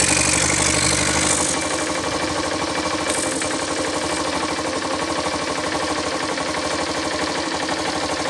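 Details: Yamaha SZ 150 that stayed noisy after a timing chain and tensioner replacement, idling after the broken compression release was removed and its weight stopped: a steady, even idle with a light regular patter and no top-end knock or rattle. It sounds healthy.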